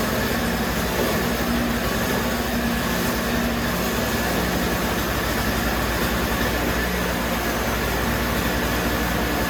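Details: Toro CCR3000GTS single-stage snowblower, 5 hp Suzuki two-stroke, 45:1 mix with 91-octane ethanol-free fuel, fuel stabilizer just added, started on choke for summer storage: steady, even buzz with no misses or knocks, running healthy.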